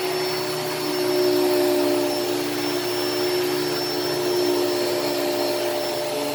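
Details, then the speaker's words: Hoover Elite Cyclonic S3825 canister vacuum, first run after a new belt was fitted: an even, high whirring rush with no flapping, grinding or squeal. Suction is good and the brush is still agitating like a WindTunnel; running normally. "the suction on this is really good and i am happy with it it obviously it the performance is obviously fine like you could you could hear it you could hear it actually you know still agitating just like just like a wind tunnel would"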